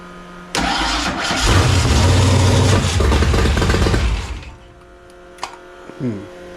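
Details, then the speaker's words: Foxbody convertible with a rebuilt carburetor whose float levels were hard to set, quick fire with a squirt of fuel: it cranks, catches, revs about three seconds, then sags and dies. It fires but won't stay running; carb problem or big vacuum leak suspected. "it's like a fires but it just doesn't wanna stay running"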